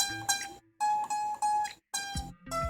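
Unamplified guitar notes plucked high on the neck cut off short and thin, choking against a raised fret.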